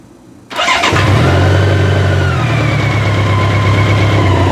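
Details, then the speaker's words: Motorcycle started with a Foxpeed G29 boost and jump starter, fuel pump sounding stronger: brief strong crank catches almost at once and settles into a steady, even idle; normal start. "That worked very good. Excellent."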